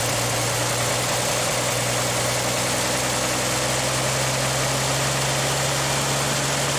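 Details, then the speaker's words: 1959 GMC old six-cylinder idling down to about 300 rpm after the fuel pump started pumping: low, steady idle with an even beat, no misses or knocks; normal healthy idle. "could idle it down to like 300 RPM. (Idles lower) I love it!"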